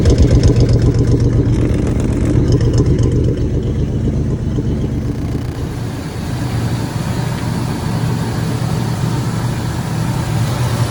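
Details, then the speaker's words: 1997 Ford F150 after valve cover work: smooth, even idle with a steady low rumble and no valvetrain ticking; the earlier tapping is gone, normal idle after the fix. "you listen to it, the little tappy tap is gone. So that means we fixed it."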